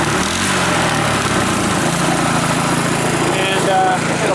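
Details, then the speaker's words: Rebuilt Powerfist small petrol engine idling far too high, set via carburettor idle screw, fuel shut off to run dry; fast steady idle with rough rattle. "I idle it up really high you can adjust that with a screw under here there's a screw on the carburetor thing here that you can adjust under here"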